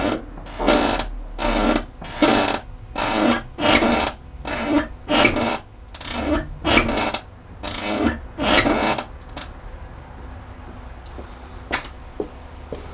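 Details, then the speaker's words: Chrysler PT Cruiser front end after the suspension control arm was replaced: rhythmic rasping squeaks with steering; a squeak on slight turns, becoming a groan on firm turns while driving. "Donc c'est un grincement quand on tourne, et quand on tourne légèrement, c'est un grincement, et quand la voiture est en route et qu'on tourne franchement, ça devient un grognement."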